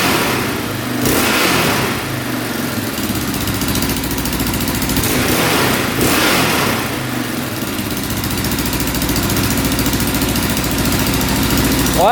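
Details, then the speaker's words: 2004 Yamaha Raptor 660 quad, a non-runner bought cheap, after repair; single-cylinder revs climb and fall cleanly without stumbling or popping and settle back smoothly; it revs out now, running right. "Well, I think it's fixed. That sounds a lot better."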